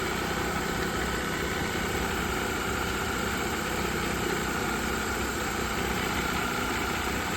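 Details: 2010 Mercedes ML350, previously dead with no communication because of a CAN line short linked to the overhead control panel after the headliner dropped; SAM module now communicating. Steady, even idle hum, no knocks, misses or surges. Normal idle.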